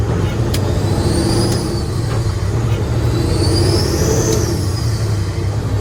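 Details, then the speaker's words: Diesel truck after injector cup replacement, driving with boost gauge watched: a high whistle rises and falls with throttle over the diesel rumble, loudest as boost builds. Suspected boost leak on a side that wasn't disassembled. "if I didn't know any better I'd say there's a boost leak but I didn't even disassemble anything on this side it definitely sounds like it's coming from over here it's that whistle"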